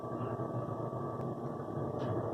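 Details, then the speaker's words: Rheem furnace that gave no heat (house at 64°F) because of a blown 2A fuse: after fitting a good fuse the igniter fires, then the blower fan starts with a steady, airy rush and no rattle; the owner plans to switch to a 3A fuse. "Fan just turned on. So that was the only problem."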